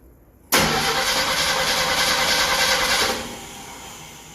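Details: Ford inline-six in a Willys sedan delivery, first start 15 years after install, with a rebuilt carburetor: the starter cranks evenly for about 2.5 seconds and the engine never catches; no start with the electric choke stuck closed, needing readjustment.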